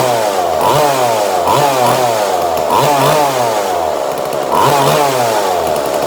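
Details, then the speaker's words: 2002 Husqvarna 136 chainsaw with newly installed carburetor, being tuned at wide open throttle: high two-stroke scream wavers, bogging out and crisping up as the mixture screw is turned; lean/rich adjustment in progress. "So if it bogs right out, I'll do that, make it bog right out, and then I'll crisp it back up. I don't know what the actual word for it is, but that nice crisp sound."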